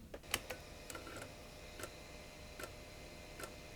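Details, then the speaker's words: Late-1990s IBM Aptiva 2139 floppy drive after one drop of oil: sparse, uneven single ticks, then a louder clack as the head steps a little and stalls. The drive still gets stuck during seek. "No, it still gets stuck."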